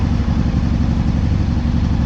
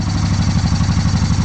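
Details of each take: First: Honda PC800 V-twin, hot, vacuum gauges connected before synchronizer adjustment: fast idle with a slightly uneven, lumpy beat; carburetors out of sync. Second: Honda PC800 Pacific Coast V-twin that sat about 10 years, first start after carburetor cleaning, very cold day with choke on: steady, even low thump with no misses; normal cold idle.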